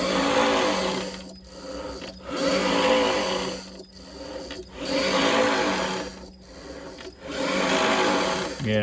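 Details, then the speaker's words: Renault Zoe ZE40 5AQ with its rebuilt motor stack refitted, spinning unloaded without driveshafts: a steady high electric whine with a lower gear hum that swells and fades. Too noisy; cause not confirmed. "that's too noisy"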